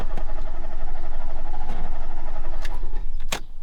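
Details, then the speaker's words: 1991 Fiat Panda 4x4 on a road trip from Portugal: engine catches with a quick uneven beat, then falters and stalls after about three seconds when trying to drive off; no choke, owner suspects carburettor adjustment leaving too lean a mixture. "I wanted to drive away but the car died and now he's not starting anymore"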